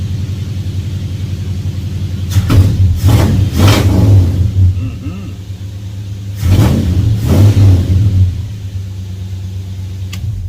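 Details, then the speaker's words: 1966 Ford Fairlane after fixing a no-start by replacing a corroded, burnt sensor harness and reinstalling the distributor. Not driven for over a week, it starts right up to a steady idle with two clean throttle blips; running healthy. "We haven't driven it in over a week, so give it a couple pats. Starts right up."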